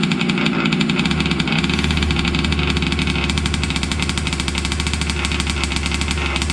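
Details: Losi 5T 2.0 gas two-stroke RC truck on VP fuel after about four to six months stored, choked, started on the workbench up on tires: a loud, buzzy high-revving note, steady and even, without misses or sputter; normal running.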